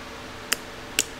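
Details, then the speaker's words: Jeep TJ with newly wired Amazon LED off-road lights: two crisp clicks from the harness relay as the switch is turned on, a good sign that the relay is working normally. "turn the switch on and the lights turn on just like that and you can hear this relay clicking"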